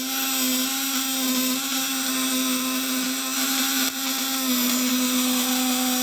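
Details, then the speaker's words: Fish-stunner inverter (1.5 kg build, 12/24 V) running under load with its probe in water at about 200–500+ V. The contact breaker (platina) is tightened until it gives a smooth, tight, high-pitched whine with no sputter, which is the best setting. ", nanti Anda kencengkan sampai suara itu benar-benar halus, kencang, melengking. Itu hasil terbaiknya ya."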